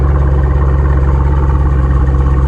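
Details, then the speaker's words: Camaro SS V8 after battery replacement, restarted following a cold start: deep, even idle pulses, smooth with no ticks or knocks; healthy idle. "Car does sound good. All right, shut it off. All right. Let's fire it up again. All right, starting up again. Sounds great."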